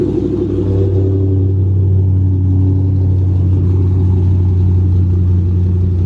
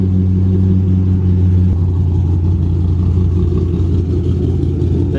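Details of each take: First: Cammed 3V Mustang (2005-10), 75,000 miles, custom tune, idle set to 1140 rpm, slightly warmed: deep steady exhaust rumble with only faint irregular lope; cam chop barely there, sounding near stock. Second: Cammed 3V Mustang (2005-10), 75,000 miles, custom tune, idle raised to about 1040-1090 rpm: deep lumpy loping idle, two to three beats a second; cam chop still present, idle needs raising further.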